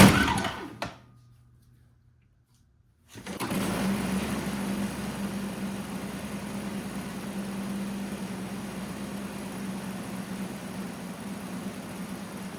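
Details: Old Toro CCR Powerlite two-stroke snowthrower, choked and primed, starting on fuel without starting fluid after the upside-down carburetor float needle was reinstalled correctly; fires and settles into a smooth, steady high buzz, healthy running.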